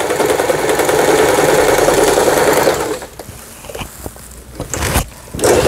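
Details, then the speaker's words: Heavily used Elna 220 home sewing machine after repair (belt slack adjusted, lower-shaft gear timing reset, needle plate replaced), sewing fabric on pattern 1 zigzag: three seconds of fast, even needle chatter about four stitches a second, then stops; normal zigzag stitching. "네, 아래실 위실 박음질이 잘 돼서 나올 겁니다. 소리만 들어봐도 알아요, 저는."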